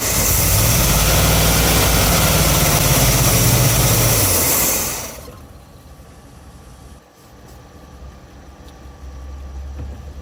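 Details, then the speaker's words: 1971 GMC Camper Special 3/4 ton, off the road about 20 years, first start attempt on fresh fuel line through old pump: cranks, catches briefly with steady roar, then dies; suspected fuel starvation from clogged tank sock, siphon or expired pump. "I'm going to give it one more shot here. I don't think it's sucking on the tank hard enough."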